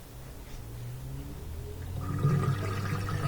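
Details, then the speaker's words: Bosch dishwasher, previously not draining, after reset by holding the button 3–4 seconds: low steady drain pump hum strengthening after two seconds with water gurgling; pump empties the tub normally. "And the display will show this, and close it, and then it'll drain all the water out and also reset the computer. You can hear it draining right there."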